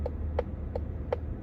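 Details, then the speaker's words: 2024 Mazda CX-90, heard in the cabin: dull, woody, knock-like clicks about every 0.37 seconds, evenly spaced. The driver found the sound odd at first, but it is a normal turn signal click. "Sounds like a knocking. Guess you could just get used to that, right? Just found it odd the first time I heard it."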